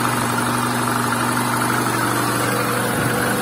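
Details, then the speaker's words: VAZ 2110 8-valve injector, previously no idle and no start without gas pedal; after replacing the idle air control valve, steady constant low idle drone with no hunting or stumbling; normal idle. "ура завелась подняла обороты ну прелесть до всего лишь дело было в датчике точнее в регуляторе"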